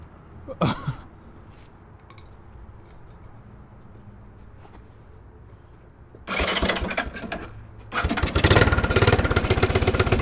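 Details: 1983 Honda ATC 200E 200cc single three-wheeler, after rewiring, new battery, fuel tank and carburetor: quiet cranking, then fires and runs rough and loud with rapid steady beat; chunky cranking made owners fear rod knock, water suspected in crankcase.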